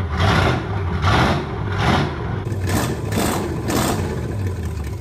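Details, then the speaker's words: Original 1970 Plymouth Superbird 440 V8, stored in pieces 40+ years, first start during three-day rebuild with quickly reconditioned carburetor: fires and runs on its own with lumpy lope about once a second without dying. "it runs counts we have a running Superbird tomorrow burnouts they will hear that coming"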